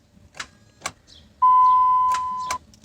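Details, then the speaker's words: 2002 Dodge Ram 1500, no-crank complaint, key turned: a single soft click and door chime with no cranking; starter suspected. "I don't know if you guys could hear that but I just got a single click try it again"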